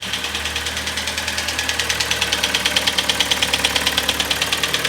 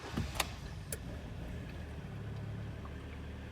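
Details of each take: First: Kia Sportage G4KD 2.0 petrol at 101,000 km, knocking since a cold winter start after unknown oil: loud rapid steady metallic piston slap at idle, attributed to wrong oil and frost. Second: Kia Sportage G4KD 2.0, 101,000 km, first start after repair of severe piston knock that began at winter start: low steady idle hum, no knocking, a couple faint clicks at start, no error codes; normal idle before warming to 90 °C.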